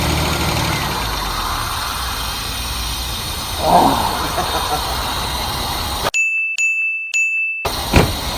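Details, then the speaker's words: Holden Commodore idling after sitting 10-15 years at a wrecking yard, first start after clearing the carby: quiet, steady, even idle with no puffing or ticking, so no exhaust hole; owner thinks it needs spark plugs. "It doesn't even sound like it's got a hole in the exhaust. Nah. Should probably do with a set of spark plugs though."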